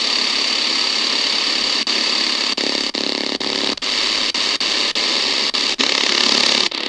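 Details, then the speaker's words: Prunus J-168 portable radio on shortwave: loud steady hiss and buzzy interference nearly bury weak station WRMI Florida; RFI is from the radio itself, not the house. "Yeah, that RFI is definitely from the radio. It's not from anything in my house."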